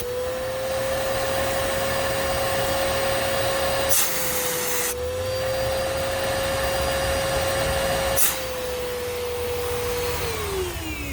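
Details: 2012 Bissell Powerforce Helix Turbo upright vacuum, model 68C7, curb find: steady high-pitched motor whine with a rough, gritty edge dipping slightly under load; worn motor bearings, rest of motor fine.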